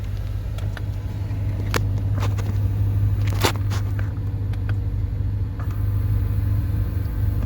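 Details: Car idling with a low engine hum: scattered, irregular sharp knocks and ticks come from behind the dash rather than the engine, traced to a failing HVAC recirculation door actuator.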